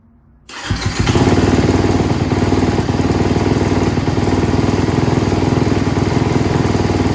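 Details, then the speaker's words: 2021 Kawasaki KX250F starting with fast idle knob pulled out: fires straight away into steady, slightly raspy fast idle about four pulses a second; dies as soon as knob is pushed in, regardless of idle screw setting (0–60 turns). "it starts right up every time when the fast a knob is pulled out as soon as you push it in bike just completely dies"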